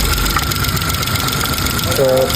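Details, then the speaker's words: 2015 Kia Picanto that would not start, blinking temperature light, running after ECU fix: loud, rough steady mechanical noise over idle from the accessory drive, alternator or its bearing suspected, unconfirmed. "Ano kaya to? Alternator o alternator o bearing lang? Ayan oh. Lakas ah."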